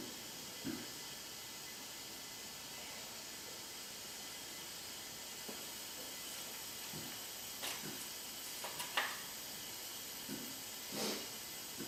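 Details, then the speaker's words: Hyundai Genesis 2.0T R-Spec, engine off, leak-down test after compression of 110/70/90/90 and milky oil: faint steady air hiss with a few knocks, about 80% leakage past the exhaust valves; exhaust valve leak suspected, head gasket also considered. "where is that going yeah we got an exhaust valve from [Applause] or a head gasket"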